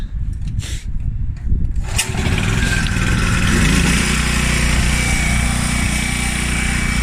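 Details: Washer that had a grinding noise and no spin, after replacing the faulty part: on diagnostic startup, after some handling clatter, the motor comes up to an even, steady low hum with no grinding or knocking. It runs smoothly.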